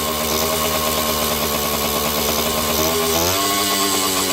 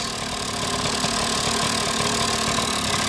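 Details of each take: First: Kawasaki KD80 two-stroke back running after ignition short fix, oil system hookup, carburetor fitted and clutch adjustment; crisp buzzy rev rising through a blip then steady even high idle, good compression; normal running. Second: KD80 two-stroke idling unevenly while oil bleeds through, with smoke from the tailpipe: light, irregular chatter and rattle over the exhaust. The rotary valve is audible, and the owner believes he hears the bearings; not confirmed.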